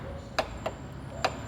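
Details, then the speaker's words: Renault Logan 3-cylinder engine at low idle with sharp metallic ticks, a few per second; camshaft wear in the cylinder head, which cannot be machined and must be replaced, preferably with an original part. "Galera, Renault Logan 3 cilindros, dica rápida: se o motor tá fazendo um barulho insuportável e você acha que ele tá desmontando, ó, desgaste no"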